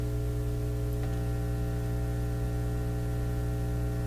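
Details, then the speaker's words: Nordmende Elektra F13 tube radio with fading output, powered up and being monitored: a steady, deep buzzing hum with layered overtones and no music or speech; power supply suspected, possibly defective. "sounds like a power supply on it it's changing that could be defective too also"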